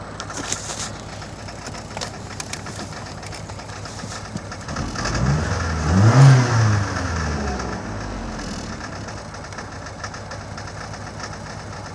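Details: 2000 Saturn SL2: uneven idle, a single rev climbing sluggishly then falling back to a rough misfiring idle; dies in gear; plug wires and #1 spark plug already replaced, helped only a little; owner considering remaining plugs and coil packs.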